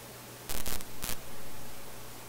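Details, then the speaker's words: Philips F3C 30A console stereo receiver, B+ being raised to just under 200 V with sections de-energized to isolate the fault: steady low hum and hiss broken by faint crackling pops and clicking in the audio output. "I heard something there, very faint. Okay, we'll go a little bit higher. I hear the clicking."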